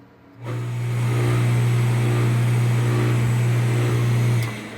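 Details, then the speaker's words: Half-HP peripheral water pump, left-hand unit, switched on: steady loud low mains hum for about four seconds with no run-up, then cut off; motor won't self-start unless impeller is pushed; start winding or capacitor suspected. "Observen que ella, si yo vuelvo y la enciendo, no arranca por sí sola. Ella logra hacer el arranque cuando impulso el aspa o hélice."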